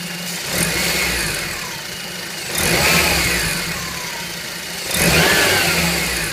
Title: Fn2 whining rattly noise